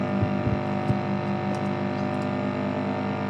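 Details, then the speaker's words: Constant low buzzy hum under plucked guitar notes, from a Zoom into a USB interface into Amplitube with an OCD, Mark-series amp and Orange cab, audible as tone is raised; suspected grounding problem. "so it becomes pretty unusable so we need to find a way to have that static and hum out and it's as you can hear it sounds very much like a ground"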